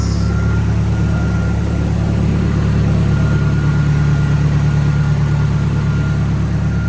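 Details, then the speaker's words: Nissan S15 SR20 first running after a failed start. It idles with a steady low hum and an even pulse of about three beats a second, no misfire. It runs and sounds good now. "runs it sounds good now"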